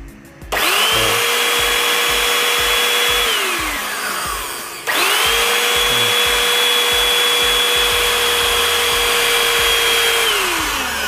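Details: Jaco EZ Hoover Turbo JC333 vacuum cleaner (220–240 V), previously vibrating hard, noisy and smelling burnt, tested after motor bearing replacement with the housing screws not yet fitted: clean steady whine, spins up, coasts down and restarts with no grinding. Healthy.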